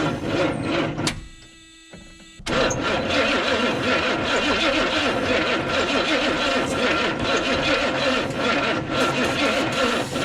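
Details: 1971 Buick GS, first start in about 40 years with the spark jumped: a rough burst of firing, a lull, then ragged combustion that never idles; owner suspects the engine control module needs replacing.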